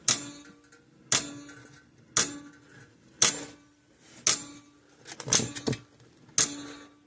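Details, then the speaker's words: 50+ year-old Sears 6V battery electric fencer after cleaning its points, run from a bench power supply: crisp, even clicks about once a second. The charger pulses normally. "I should be able to flip the switch on, and it should go clickety-clack just fine like normal."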